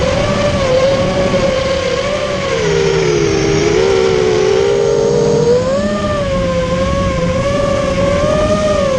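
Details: Immersion Vortex 250 Pro quadcopter motors on test run after fixing bad bearing sounds, which the owner thinks are fixed; one motor slightly warm afterward: clean smooth whine rising and dipping with throttle, no grinding or rattle. Normal running.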